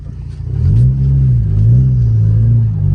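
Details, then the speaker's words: Jetta with a cheap clutch, smoked out on a downshift and still slipping while pulling in: revs swell and sag in long surges, pitch climbing without firm pull under load; burnt clutch smell noted. "I'm just surprised it couldn't even handle a townshift I knew the car wasn't fast but wow downshift and just smoked it out"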